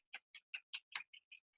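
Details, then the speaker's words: Bicycle with rear derailleur cable tension too tight: crisp light chain ticks about five per second, steady with pedalling, then a rattle as the chain jumps; indexing is out and the bottom pulley is not lined up with the cog. "there's also more noise it can be more noisy and the chain can chatter you're like ticking I'm not sure if you can hear it there's a little bit of a ticking sound and so you know it's not right"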